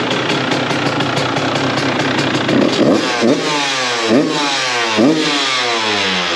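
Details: 2002 CR125 two-stroke after port work and carb rejetting, running without choke: crisp ring-ding idle with a few sharp throttle blips that rise and fall cleanly without stumbling; normal two-stroke idle, now running great.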